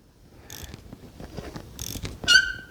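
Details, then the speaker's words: Yamaha Raptor with a swapped 1050cc engine, cranking very slowly: bursts of high-pitched screech and a sharp squeal that seem to come from low in the engine, as if something is dragging. The starter gear was checked and looks fine, so the cause is not yet found. "So, let me give you guys an ear on the screeching sound first, and then we'll talk about what I think it is, and then we'll get into the rest. Yeah, I know you can hear that. That's pretty bad."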